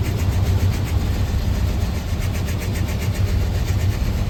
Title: 1986 c10 rough idle on cold start